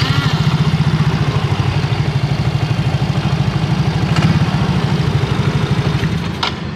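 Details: Yamaha Mio GT scooter after repairing its dead electric starter: the small single-cylinder idles with an even, low putter of about two to three beats a second, steady and healthy.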